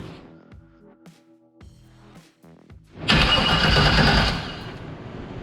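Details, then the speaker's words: Chevrolet C10 with newly installed 350 V8, first start attempt via starter wire: about a second of steady cranking that never catches, then drops back; cranks but won't start, spark not yet confirmed, possible grounding issue. "Oh my god, that sounded so solid too. Fuck. Now we need to see if we have spark."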